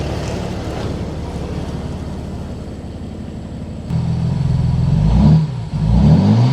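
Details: 2008 Mercedes-Benz GL320 CDI diesel after muffler delete: deep even rumble at idle, then clean free revs rising and settling smoothly, no knocks or misses.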